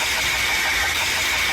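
A running engine with a steady high whine sitting over a thin, hissy idle: oil pump noise.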